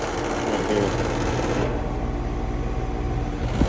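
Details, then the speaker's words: Outdoor AC condenser unit humming steadily under a fast buzzy rattle from the fan guard vibrating; before fitting plastic fan guard feet, which stopped the rattle. "So, I've got this noisy air conditioner here. >> Does your AC unit rattle like this? >> Rattles"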